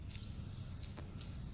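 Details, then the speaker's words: 1980 Yamaha MX175 dirt bike kill button tested with continuity tester: two clean high-pitched beeps each time the button closes; button works, so fault lies elsewhere, possibly wiring under the gas tank. "so the button's working you can hear the beep so the button is not the problem that's working great"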